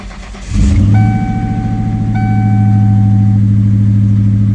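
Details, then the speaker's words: 1996–98 Mustang GT V8, cold and waiting to warm up, with the check engine light on, before replacing the plug wires and coil pack: it starts and idles with an uneven, stumbling lope from a cylinder misfire. "As y'all can see the check engine light on, and y'all can hear the misfire."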